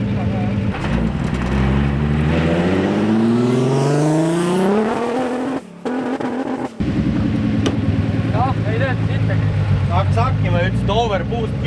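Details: Nissan with new gearbox, stress-testing on a pull: revs climb hard, then the engine stumbles and cuts out briefly before picking up, overboost because the wastegate lines were mixed up.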